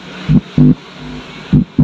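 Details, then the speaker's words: Polytron PAS 79 active speaker after replacing the worn transistor (C15), powered and tested by touching the input: clean low hum bursts with quiet gaps, the crackling now gone; amplifier back to normal. "berderak itu sekarang sudah hilang. Alhamdulillah, hanya dengan mengganti transistor C15, speaker Polytron Pass 79 ini kembali normal."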